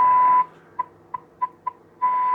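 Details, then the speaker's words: David Andersen Type 562 valve radio during IF alignment, test tone injected and peaked on the scope at the speaker: loud, clean, steady tone of about 1 kHz with faint blips; IF stage now aligned and passing signal strongly. "So I've got to hear the tone, and I'm going to just look at the tone coming out on the scope at the speaker and adjust this for a peak."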